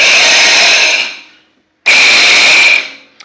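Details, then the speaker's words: Tecumseh Enduro 13 hp engine that won't start, despite a new spark plug and charged battery; it has a lot of compression and has been sticking. Two loud, piercing screech bursts while cranking with no firing. Starter screech. "when I try to turn it over makes a ridiculous sound very loud screeching sound so be ready cuz it's gonna be really loud"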